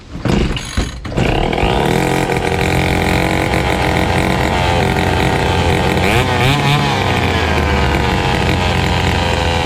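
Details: Fubag FPT 52 two-stroke trimmer that wouldn't start and flooded, running with carburetor refitted: a couple of rough catches, then an even buzzing run holding speed cleanly; engine healthy.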